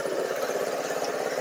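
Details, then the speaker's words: Budget buggy single-cylinder engine at idle after readjusting valves; exhaust valve had been too loose causing a tick, now steady even pops with no tick, a clean healthy idle. "that exhaust valve was loose I don't know what happened I adjusted them wrong but it's no longer ticking so sounds much better"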